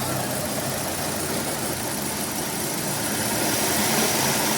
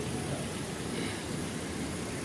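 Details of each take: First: Hyundai i20 idling with the clutch pedal pressed: steady gritty whirr and hiss from a broken clutch release bearing, fixed by removing the gearbox and replacing the bearing. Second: Hyundai i20 idling after the broken clutch release bearing, clutch plate and pressure plate were replaced: steady, even petrol idle with no squeal, chirp or rattle as the clutch is worked; the earlier noise on pressing the clutch is gone.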